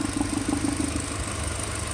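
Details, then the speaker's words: VW/Audi secondary air injection system at idle: after vacuum is released from the combi valve, soft exhaust pulses keep puffing out the tube, showing a delay in closing; the combi valve is sticking open and not returning quickly. "you can hear the delay in second the air shutting off or at least a combi valve closing"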